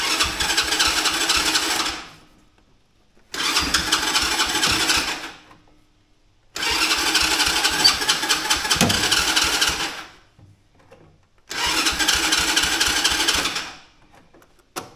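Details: Mini Jeep with Chinese quad-type engine, customer complaint hard starting, choke on: four cranking bursts of about two seconds, spins but never runs; compression present, fuel issue being checked. Hard starting.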